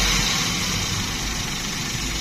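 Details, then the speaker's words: Suzuki Karimun Wagon (Dilago) 1000 cc three-cylinder at idle: steady, even running with no knocks, misses or rattles, described as still smooth, with some vibration typical of the three-cylinder. "Oke, ini untuk kondisi mesinnya ya. Nah, masih halus ya. Untuk Karimun ini cc-nya 1000 cc, jadi dia itu sangat irit sekali."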